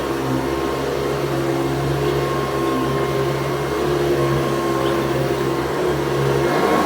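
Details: Restored 110 V USA Hoover Convertible U4173 running on deep carpet: steady even motor hum with beater bar drumming, no wavering pitch, running healthy.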